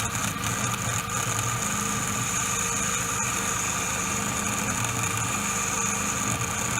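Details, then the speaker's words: 2004 Mini Cooper power steering pump fan motor, engine idling: a constant buzzy whine with a high hiss. On teardown the magnets had come unglued from the motor housing, with no adhesion left, causing the noise. "I took apart this little fan motor and it turns out the magnets came undone from this housing they're supposed to be glued in there on the sides like that and there's just no adhesion left whatsoever so that's why my fan was making noise"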